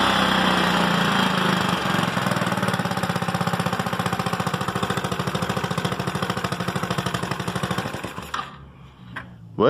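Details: GY6 scooter that started but lacked power and wouldn't rev, after replacing the CDI: revs up crisply, holds a fast even beat and drops off cleanly; engine pulls normally with no stumble.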